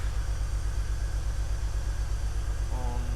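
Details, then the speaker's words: BMW E46 330Ci Clubsport, M54 engine, off the road 7 years, first start after charging the battery: idle has a steady thump broken by regular stumbles, a clear misfire at idle; the MAF sensor reads zero live data. "It's definitely misfiring. You can probably hear it's definitely misfiring."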